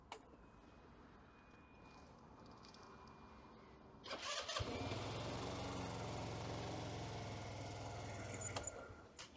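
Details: Scooter electric-starter test with healthy fully charged battery (12.9 V, dipping briefly while cranking): quiet, then brief crank catching at once into steady even idle; starter and engine sound healthy.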